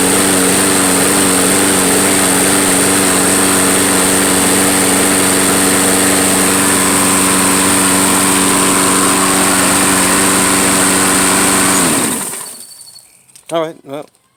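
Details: Troy-Bilt lawnmower, neglected and left sitting all winter, running on old fuel: steady, even high-pitched drone at constant speed, then a clean spin-down at shutoff. Runs properly.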